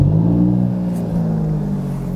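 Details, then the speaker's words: Cold start of a 2019 Alfa Romeo Giulia Quadrifoglio not yet driven that day, recorded at the exhaust tips: deep note flares high on firing, then eases to a steady, even fast idle; normal healthy cold start. "A teraz uwaga, będzie cold start, bo samochód dzisiaj jeszcze nie jeździł."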